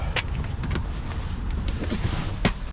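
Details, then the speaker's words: 2009 Ford Edge at dealer auction: low steady rumble of cranking and starting, running evenly with a few light clicks; cranks and runs normally, some warning lights on. "right, so first thing, crank it up, make sure it cranks. That's good."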